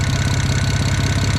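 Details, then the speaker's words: Built BMW N54 335i at idle, stethoscope on the exhaust underneath while chasing a suspected exhaust leak: rapid, evenly spaced pulses with no puffing or ticking; owner concludes just normal exhaust pulses, likely overthinking it. "i can hear that it's in the exhaust and i think it's just exhaust pulses and i think i'm just overthinking it"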